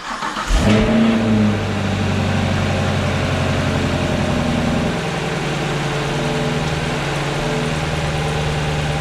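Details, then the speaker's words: 2018 6th Gen Camaro after installing a Corvette C8 LT2 intake manifold, first startup, not yet tuned: starter whirs, engine catches with rev flare, settles to steady even idle, no misses or ticks, no check engine lights; normal cold start and idle. "All right, guys, idling down just fine. Everything, no check engine lights."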